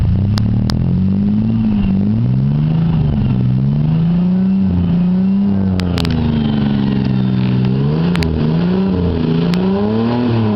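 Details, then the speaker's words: 1991 Ford Ranger with holed muffler, revved repeatedly: loud raw exhaust drone following throttle; muffler not effectively muffling, owner wants one fitted. "Some people think I put a new muffler or something on there, but fuck no. Shit sounds horrible to me."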